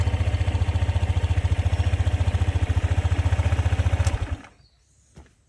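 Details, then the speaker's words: Honda ADV 150 scooter at roadside troubleshooting, starting after checking kickstand and kill switch: fires up, settles into steady even putter, then shuts off cleanly; normal start and idle. "okay if all that's good the bike should start if it doesn't push down on the ignition to wake it up and try and start it"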